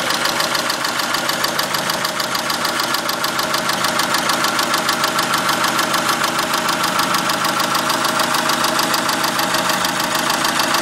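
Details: 2002 Dodge Neon petrol engine at idle with a steady, sharp ticking of about three ticks a second; owner unsure whether valves, exhaust or something worse.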